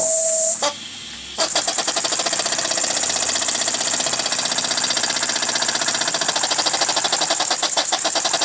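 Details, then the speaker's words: Model steam engine running on compressed air at 15–18 psi, fitted with a small brass flyball governor, load applied by finger: fast, even chuffing beats stay steady in rate as load comes on; governor holding speed properly at that pressure. "with the air pressure cranked up to 15 to 18 pounds it just made all the difference into the world in the world on how that Governor is reacting to the load of my fin"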